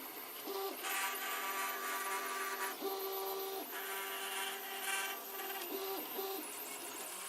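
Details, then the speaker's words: 3D printer during a long print: steady stepper-motor whine with a gritty rasping rub; owner suspects the linear bearings, source unclear. "again that noise I think it is a linear bearings which have been small for bands"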